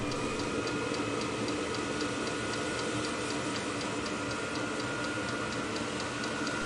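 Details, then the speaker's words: New VEVOR Chinese diesel heater on a test run after starting, with a burner roar like a small jet and the fuel pump ticking evenly about three times a second; noisy but not too loud, normal running. "It sounds a little like a jet engine from an airplane. It's noisy, but it is not so loud, so I would say it's not too bad."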